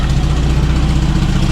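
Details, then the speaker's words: Toyota RA40 with 22RE engine in freezing cold, after wiring power to the cold start injector from the black wire under the plenum: starts at once, settles into smooth, even low idle, loud exhaust-leak ticking. Normal cold idle, problem fixed. "she started up straightaway um I'm pretty happy with that that was definitely the issue yeah well she's running really well considering it's freezing cold out here"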